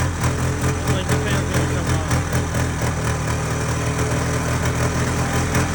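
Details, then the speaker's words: Polaris Trail Boss 350 quad abandoned 15 years, after carb cleaning: rough uneven rasping grind over a choppy idle, like something chewed up in the transmission, then it shut down; transmission grinding noise. "so I can get this transmission cover thing off cuz it sounds like mice are in there getting ground up"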